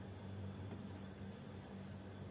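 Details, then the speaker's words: Star X 98 Super satellite receiver, owner reports it switches on and off and sometimes whistles: steady low hum with a thin constant high whistle from the power supply; replacing four failing capacitors should stop the sound, though it still whines off-load. "زن خراب میشن که این چار تا خازن وقتی عوض بشن درست میشن کلاً این صدا میفته"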